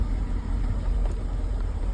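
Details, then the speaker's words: Chevy Silverado 1500 5.3 liter V8 4x4 with flashing check engine light: deep uneven lumpy, stumbling idle instead of a smooth rumble; one cylinder (cylinder 4) misfiring, traced to low compression and a failed lifter. "but the problem is engine light flashing see that see the engine light flashing the yellow light the engine I look like misfire"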